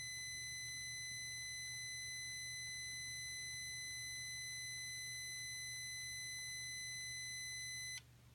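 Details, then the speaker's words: 2005 VW Passat 1.8T GLS, crank no start, new fuel pump doesn't prime, about 4 A draw with key on: steady high unbroken warning beep for about eight seconds, then cuts off. Beep and shorting sound stop when the airbag fuse is pulled; short suspected. "when I turn the key on I can't there's the long deep very long beep I can show you guys at the very end of this video"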